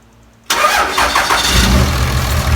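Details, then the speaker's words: Cummins 24v diesel with about 8-year-old 100-over injectors, one injector harness unplugged for a cylinder test: fires up and runs choppy, uneven and lumpy; little sound change, test gave no clear direction. "You guys could hear it idling. Wasn't much sound change. Of course, it got choppy with the injector disconnected, but didn't yield any results that please me anyway, that point us in the right direction."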